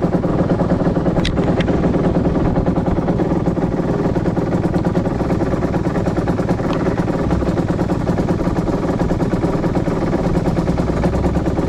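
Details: 2010 Aprilia RS 125 two-stroke on a VHSB34 carb: 162 main jet, K57 needle on top clip, B36 pilot, air screw 2.5 turns out. A rough, uneven midrange buzz, a stutter around 6,000–7,000 rpm, suspected from the stock needle running rich; the fix is a leaner K21 needle.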